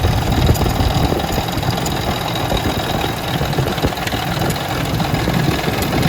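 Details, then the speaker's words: Ford Expedition 4.6 two-valve V8 at idle, under-hood rattle: light fast clattering from the front of the engine, confirmed with valve cover off as a broken timing chain tensioner guide; heavy sludge buildup in engine. "it's definitely a broken guide on the tensioner which could probably be fixed"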